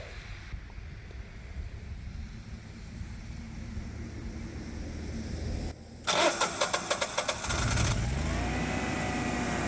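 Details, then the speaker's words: Generac whole-house generator, after a low-oil shutdown, resetting low oil and checking continuity, auto-starts: about two seconds of cranking, then it catches and settles into a steady even idle; normal start. "let's fire it up and warm up the oven turn on power to the house"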